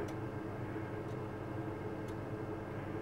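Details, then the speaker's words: Gas combi boiler running off a 200 W lithium power bank with an inverter during a blackout test: soft steady fan whoosh and burner roar with a faint tick about once a second. Central heating draws about 150 W and it runs normally. "and you can hear it firing up and you can hear that the central heating is drawing 150 watts 150 watts"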